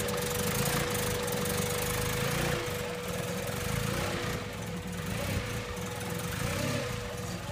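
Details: Honda CRX with a B16A engine swap and Skunk2 throttle body (no FITV), IACV cleaned: uneven, lumpy idle with stumbling exhaust pulses; owner suspects a misfire, not confirmed.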